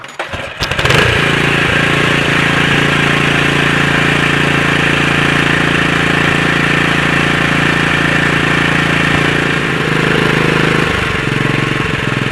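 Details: Honda GX120 small engine, previously running rich with some plugged brass-tube ports, after fitting a new cheap Chinese replacement carburetor and taller air filter: starts and settles into a fast, even chatter with steady beat, no surging or hunting; normal running.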